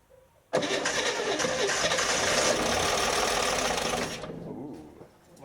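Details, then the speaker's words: 1961 Corvair Lakewood, sitting at least 25 years, first start attempt on little fuel: several seconds of loud cranking with occasional firing pulses that dies away; it fires but won't run, and the firing order seems right. "gosh that actually sounds like it's going to start and run okay you know what else it sounds like it sounds like we've got the firing order right"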